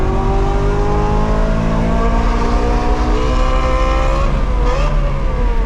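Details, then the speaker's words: BMW E9x M3 with titanium exhaust on a track, full throttle shifting from 3rd to 4th: the engine screams up with a smooth rising note, as if in neutral while in gear; transmission failure causing loss of drive and flaring revs. "I go from 3rd to 4th, and then nothing after that. I mean, you hear it rev really quickly. I knew it was not working again, so I just let off"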